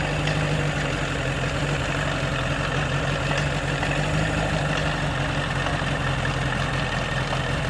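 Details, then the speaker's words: 1985 Bass Tracker outboard, sat for years, now warmed up after a cold-blooded start, settles into a steady, quiet, even idle with smooth low drone, no knocking or misses; normal idle. "I think everything heated back up here that motor is really quiet. Oh yeah, we got a runner, guys."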